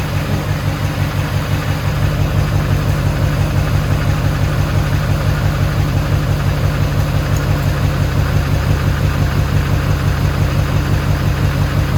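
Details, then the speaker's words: HMMWV Humvee with swapped Duramax LBZ diesel, first start after FASS lift-pump fuel system install: steady, even diesel idle with smooth regular clatter, no knocks, misses or surging; normal idle. "I mean the engine sounds amazing it sounds just as it should so um we'll see from there"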